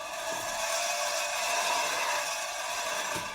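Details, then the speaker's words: Toyota Sienna rear wheel spun by hand, owner complaining of a squeak from the rear: continuous dry scraping that fades as the wheel slows. Rear brakes were done three weeks earlier and rotor and pads look new. Suspected backing plate touching rotor or worn parking brake shoes. "okay so it sounds like the back plate is touching the rotor or we could have worn out park brake shoes"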